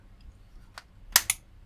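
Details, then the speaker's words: Giatsu 3DDC mini split air conditioner controller board (error F4, fans run but no heating or cooling), on the bench on mains through a dim-bulb current limiter: two or three sharp dry relay clicks at power-up, so the board powers up and switches. "I hear the relay going cck so I'm confident enough this thing is powering up yeah relay clicked again so I'm hearing that again something is switching those on and off"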